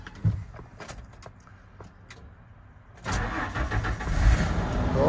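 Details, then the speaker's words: 1994 Ford F-250 4.9L straight-six, five-speed, after PCM replacement on driver's-side firewall (symptoms were crank/no-start, random CEL, running rich, fuel pump running constantly); fires right up after a quiet pause and settles into a steady, even idle; normal start. "nice fire right up so yeah this has been my entire ownership with this truck has uh given me a lot of issues probably because of this pcm and now it's running it runs like a champ"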